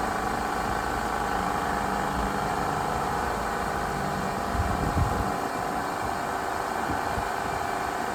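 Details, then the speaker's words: 1997 Pontiac Grand Prix after heater hose repair with new hoses and clamps, coolant topped off, idling to bleed air: steady, even constant hum with no knocks or misses; engine idling normally. "So we're going to top off this coolant and fire it up and get all the air out of the system."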